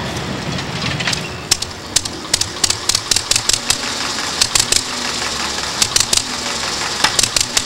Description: The engine is pretty well tweaked-in except for a minor unlatching problem with cylinder #1 that causes a loud click occasionally as the valve snaps shut prematurely.